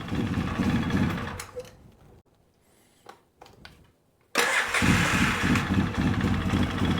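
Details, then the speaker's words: 2003 Polaris Sportsman 700 ATV after replacing the starter and bendix: starter bites straight away and cranks evenly, no free-spinning whir, engine catches and runs; new starter engaging properly, sounds much better. "that starter does sound a lot better"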